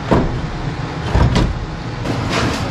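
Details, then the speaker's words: OBS Chevy truck parts-truck engine with new charged battery and alternator fitted: a few slow, heavy cranking heaves about a second apart, starter dragging hard; engine tight or locked. "Wow, act like it's a lot tight, huh? That's not good. What's that about?"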